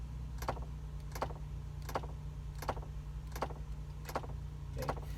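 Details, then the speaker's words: 2002 Ford Explorer, ignition on, climate dial turned to heat: sharp plastic clicks about every 0.7 s over low hum, stopping on cold; no heat, failing blend door actuator. "let me turn this dial to heat do you hear that clicking sound well I've turned it to cold and you can see it shuts off when I try to get some heat"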